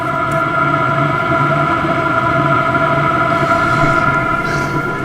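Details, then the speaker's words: Newly installed eBay diesel heater in family caravan, first start, exhaust hot, some initial smoke: constant fan hum with steady burner roar, no surging or popping; lit and burning normally, getting warm. "it's definitely cooking oh yeah that five's getting warm not like crazy hop but definitely warm"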